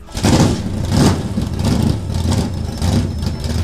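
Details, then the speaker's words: Old drag race car with Turbo 350 transmission, shift kit, 3,300 stall converter and 4.88 gears, last raced 2007: loud lumpy V8 burble swelling with throttle blips, firing evenly with no knocks or misses; healthy running engine. "Sounds great. I have a feeling all those stickers are legit."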